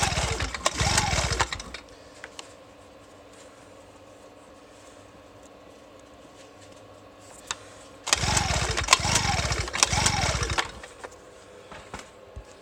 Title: 2 stroke Genny won't start